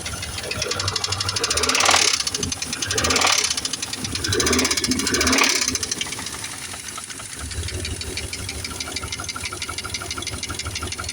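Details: 2000 Dodge Dakota Sport 4.7 V8, cold start after sitting a long time, now hard to start: sharp, rapid metallic knock at idle, about four a second, seemingly from both sides; mellows a little when put in gear under load.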